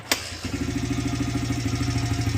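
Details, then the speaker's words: 2006 Honda CRF100F after tightening the timing gear bolts, restarted after months of sitting with choke on: a brief crank, then it catches into a steady, even idle with no clicking from the top end. Normal idle. "She runs like a dream. >> Look at that. Look at that, guys. Oh, she shut off. But yeah, guys, no more clicking noises."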